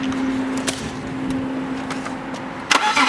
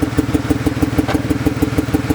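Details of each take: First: BMW E36 after coil pack replacement for a misfire: starter whirs briefly, engine catches cleanly and settles into a steady, even idle with no stumbles or skips; misfire fixed. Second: BMW E36 on a cold day: an uneven idle with a regular stumble about six times a second. A dead-cylinder check was done by pulling plugs and unplugging coils; failing coil pack blamed for the misfire.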